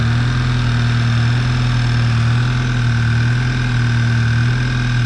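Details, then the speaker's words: Mk6 VW GTI engine after repair of a seized exhaust-side balance shaft (new balance shafts, chain and tensioner), first start after cranking for oil pressure: smooth, even idle with a steady low drone, no knocks or rattles; sounds healthy. "Okay, first start, always a nerve wracker, but here we go. It's alive. Awesome. Sounds good."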